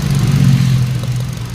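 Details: 2020 Hyundai Accent gasoline, after replacing a burnt ignition coil for a P0300 misfire and clearing codes: steady, even idle with no pops or stumbles, check engine light gone; no misfire.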